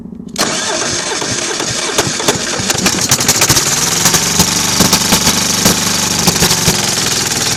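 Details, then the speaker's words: Kohler KD425-2 two-cylinder diesel in freezing cold with a broken exhaust: it catches after a brief crank, then settles into an uneven, lumpy clatter, as if on one cylinder. Hard starting; the owner suspects cold fuel not flowing through the small filter. "I can't believe this. The thing's never been this hard to start."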